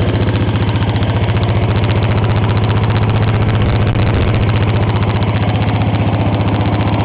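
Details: 1954 reel mower with a restored B&S 6S 1.6 hp engine with new exhaust, alongside a 1984 Montgomery Ward B&S 3.5 hp TMO-37425A with a fallen stack, so rear exhaust. Rapid, even firing pulses with a steady low chug, no misses or knocks: normal running.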